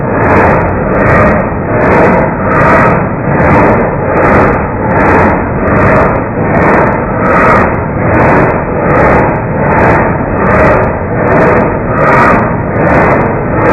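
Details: 1989 Marmon heavy truck, slow cranking: labored turnover at roughly 77 even pulses a minute, each compression stroke alike; compression sounds intact by ear, no gauge used, and no obvious reason found for the slow crank.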